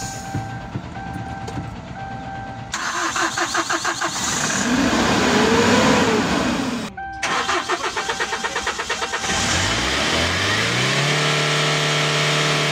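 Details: Kia K2500 that had white smoke at hard start, after repair; starter cranks in quick even pulses, engine catches within seconds and settles into steady idle without misfiring, no more smoke or lag.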